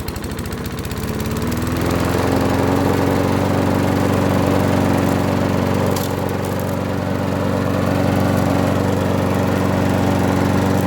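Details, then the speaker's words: Abandoned Huskee XT650 mower, sat for a year or two, tied down: catches and climbs to a steady even drone with no misses or knocks; healthy running. "Pretty good, actually."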